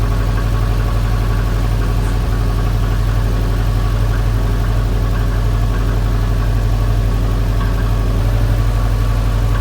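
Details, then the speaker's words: Subaru STI EJ257 boxer at idle after refitting with the belt removed and a new battery: steady low drone with a light, regular tap about three times a second; knocking source unknown, owner fears a head problem. "We'll start her up, see if it still makes the noise. All right, third time is gonna be the charm. Tell me if this shit is knocking."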